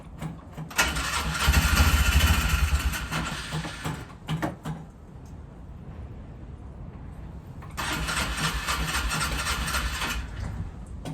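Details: Polaris 500 ATV after air filter change and fresh gas: two spells of steady starter churning about three beats a second with no firing; cranks but won't start, spark confirmed present.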